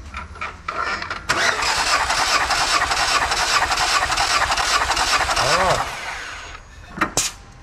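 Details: Lada Vesta 1.8 petrol engine, about 60,000 km, cranked by the starter for a compression test; the steady, even rhythm without firing matches all cylinders at about 13.5 compression.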